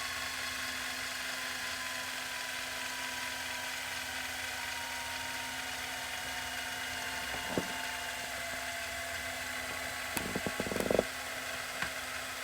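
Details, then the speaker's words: Tascam DA40 DAT recorder repaired for Mecha Com Err, fast forward and rewind test: smooth steady whir over an even hum, then a few clicks as it stops; transport winds normally, though intermittent playback sound loss remains (owner suspects dirty head or board). "so i was gonna fast forward and rewind this tape see how that mechanism"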